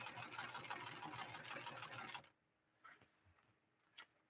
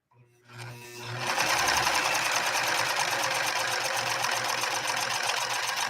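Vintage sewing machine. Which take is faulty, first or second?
first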